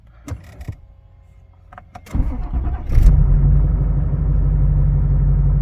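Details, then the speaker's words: Nissan Titan XD Cummins 5.0 diesel after fuel filter change, no leaks, low fuel pressure warning cleared: a few clicks, short crank, fires cleanly and drops into a smooth steady low idle; started right up. "And it started right up."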